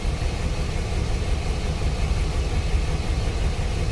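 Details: 2006 Chevy Express with P0300 random misfire code, cylinders one and two misfiring equally; rough, uneven stumbling idle; idle misfire.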